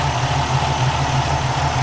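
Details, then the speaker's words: 1996 Pontiac Grand Prix after 30,000 miles over two years of ownership, just fitted with new spark plug wires after running a little rough: steady, even idle with a smooth low hum, no misses; running clean. "I'm going to start this car up real quick show you what she sounds like after 30,000 miles of owning her 2 years"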